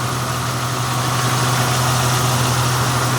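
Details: Mazda in Brisbane found nearly out of oil, idling after top-up to just over full line: smooth, even idle, soft regular pulse about four beats a second, no ticking; running healthy.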